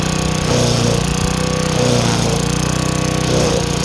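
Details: Craftsman wheeled weed wacker, two-stroke, found dirty, missing its spark plug and sat for an unknown time; now running with a new plug, cleaned carb and fresh gas. Even, fast drone holding steady while cutting, rising slightly now and then; healthy.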